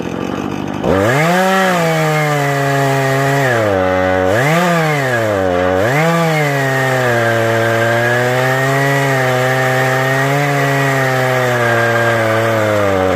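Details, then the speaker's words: Husqvarna 435e on Granberg G777 Alaskan mill with 18-inch ripping chain: two-stroke note sags and wavers as chain loads in the cut, never holding full revs; bogging under load, underpowered saw. "It's hard to do because the ripping chain wants to just stop. But if you listen, you say it sounds like it's really just lagging. You don't want that."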